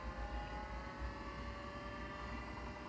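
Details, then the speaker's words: 1985 Atari SH204 20 MB external hard drive at first power-on: steady whooshing drone with even whining tones, no wavering or rattle, plus beeping as it initializes. The fan is spinning normally. "sounds like an airplane taking off at least it's the fan is spinning"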